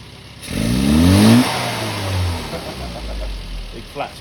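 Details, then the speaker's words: Carburetted car on an on-the-road tuning session, bias-type needle fitted: revs climb as the throttle opens, then stumble and sag before slowly picking up; runs lean with a flat spot on opening. "when you open the throttle watch it lean now we need to uh we need to skip them turn it off"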